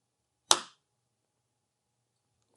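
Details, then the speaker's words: Faros vitreoretinal surgical platform, installing the I/A tubing cassette from a vitrectomy pack: the cassette is inserted slightly tilted and pressed down, giving one crisp snap then a faint tick as it latches, correctly seated. "Then, insert the cassette slightly tilted. Press it down until you hear that clicking sound."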